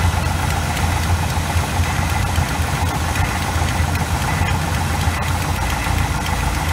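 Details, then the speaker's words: 1986 GMC small-block 400 V8 with Edelbrock carburetor, idling during idle mixture screw adjustment: uneven, lumpy idle with loping low beat and irregular misses, near stalling. "kind of sounds like 800 um which might be a little bit high but it's running so rough that we kind of have to keep it like that"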